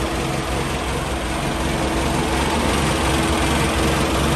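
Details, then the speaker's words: 3TC engine, first start after gear drive install, cold start on cold day, no gas pumps: petrol engine idles steadily, gears not really heard at idle. "so at idle you don't really hear the gears at all"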